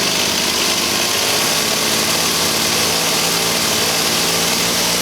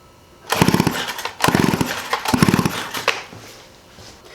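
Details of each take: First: 1985 Stihl 028 AV Super chainsaw after setting carburetor screws (low speed corrected from half a turn to 1¼ turns out, high speed 1¼) and raising idle slightly: light two-stroke buzz holds an even, steady note and drops away cleanly. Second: 1985 Stihl 028 AV Super Electronic Quickstop chainsaw, sitting about 10–15 years: three quick rope pulls with rapid chuffing compression strokes never firing; spark tester shows zero spark, switch suspected.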